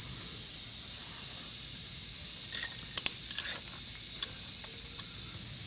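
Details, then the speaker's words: Run-flat tire with a screw puncture, screw being backed out: steady high-pitched hiss of escaping air with a few small clicks; air leaking through the puncture hole before reaming and plugging. "So you really can hear that air coming out of there."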